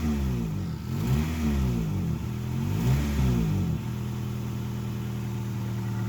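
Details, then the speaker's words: Project car just fitted with new spark plugs and plug wires, custom air intake, idle just fixed: revs up and falls back twice smoothly, then settles to a steady even idle with no miss or stumble; runs healthy. "now my dad's just gonna give it a little bit of gas so you guys can hear it right"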